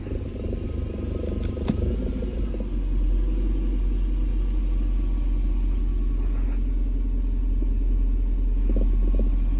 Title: BMW E39 540 strange knocking sound with vibration when in R or D gear